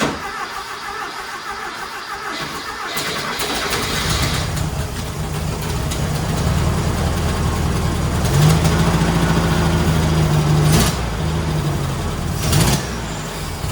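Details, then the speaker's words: Rat rod Porsche with a custom turbo setup, redone turbo intake tube and bigger carburetors, starting after the work: catches after brief cranking and settles into a steady, even idle with no knocks or misses, sounding much better than before. "Sounds really good. Oh, I'm so excited about this."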